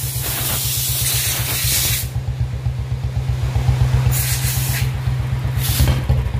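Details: Royal Enfield Bullet BS4 motorcycle idling after a new blue BS4 CDI was fitted: uneven thumping idle near four beats a second with skipped, stumbling beats between hissy bursts; engine still misfiring despite the new CDI.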